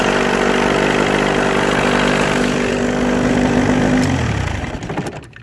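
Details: Mid-1980s Johnson 35 two-stroke outboard, warm, after cleaning a bad connection at the ignition harness (previously hard to start when warm): steady, even buzz with no misses, winding down smoothly at shutoff; normal running.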